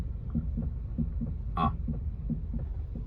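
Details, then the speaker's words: Honda Civic front suspension: dull low knocks in quick pairs on one side with each light back-and-forth steering movement, also when turning the wheel; owner unsure whether it is the suspension or a mount. "ó não sei se vocês estão ouvindo ó é bem aqui desse lado aqui que eu tô ouvindo esse barulho ó"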